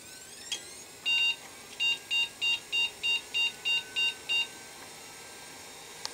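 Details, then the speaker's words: PC at power-on showing no display: one long beep then about nine short, evenly spaced high beeps; repeating POST beep code, owner suspects it explains the no-start, possibly a damaged board trace. Cause not confirmed. "Pourquoi il bip comme ça? Ah, je crois que c'est ça mon problème, justement. C'est pourquoi il bip comme ça."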